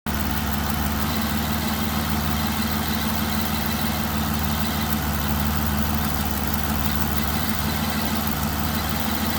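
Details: 2009 DB9 at idle with faint, random, non-periodic ticks near cylinder 6 and a cylinder 6 misfire with each tick, stopping above about 900–1000 rpm; the cause was sparks arcing on the RHS inlet manifold, fixed by replacing the #6 ignition coil.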